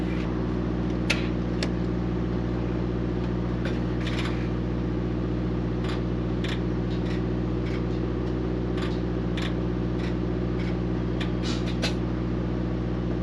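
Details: Mack MP8 / Volvo D13 truck diesel after a Volvo specialist sorted the injectors to cure its long-crank hard start: smooth even idle, steady low drone, only light injector ticking; running healthy.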